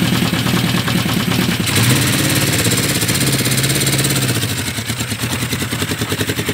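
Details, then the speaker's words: 1975 Honda CB550 four-cylinder motorcycle, warm, battery recharged, recently revived after about 20 years parked; lumpy loping idle, unevenly spaced pulses; one cylinder missing, owner suspects fueling or carburetor tuning, not confirmed. "they always want to turn on they always want to run even though it's missing a cylinder it almost feels like it's not even skipping a beat"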